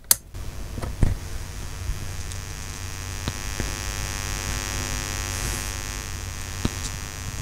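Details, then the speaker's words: A steady low electrical hum with faint buzzy overtones: mains hum picked up along the microphone wire, the same hum earlier heard from the lights. "and what happens is you've got a sound that just will jump onto this and it's main H so a lot of the hum you heard from the lights for example is that Main's hum"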